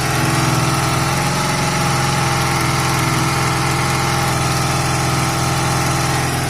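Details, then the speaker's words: Honda CB250 cafe racer project, nearly finished, running after a new fuel line and a reseated gasket: a loud, steady single-note drone with an even beat and no knocks. It rode very well, with only a slight stumble at the bottom end and a little smoke. "take it for a little bit of a spoon so guys couple of things it it rode very well it's a tiny bit stumbly on the bottom end nothing major"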